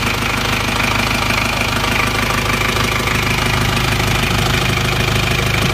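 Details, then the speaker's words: Isuzu Panther 2.3 diesel idling after engine repair reusing worn liners: even clatter about three beats a second, smooth and steady with no miss; exhaust no longer smoking. "Alhamdulillah suara mesin juga sudah halus buangan sudah tidak keluar asap"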